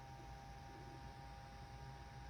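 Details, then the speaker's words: Fan-cooled LED headlight bulb for a 2012 Chevy Volt, tested plugged in out of the car: thin steady whine near 800 Hz over faint hum from a vibrating, out-of-balance cooling fan motor. "hear that it's got a little wine in it but here's why it's noisy there's a lot of vibration in this motor on this uh on this light"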